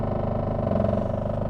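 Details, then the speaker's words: Nissan Cube on test drive, engine drone with fast buzzy rattle from the exhaust, exhaust work on owner's list; clunking also heard in front end. "he's got some exhaust work on that list also i can hear the exhaust rattling so let's see what that is"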